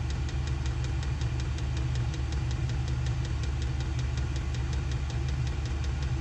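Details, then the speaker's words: SILVEL diesel heater on full heat in an insulated two-car garage, exhaust ported through a wall: deep steady fan roar with a crisp, even fuel-pump tick about four times a second; running normally, moving plenty of hot air. "it blows out a pretty significant amount of heat not only is the air hot but it moves quite a bit of air too"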